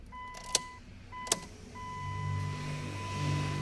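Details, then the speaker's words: 2004 Dodge Stratus 2.4, working but unprogrammed engine computer: two clicks then a steady hum for about two seconds at key-on as the fuel pump primes, check engine and immobilizer lights cycling; normal fuel pump priming. "escuchó la bomba se prende el cheque engine Se prendió el inmovilizador se apagó y luego se prendió"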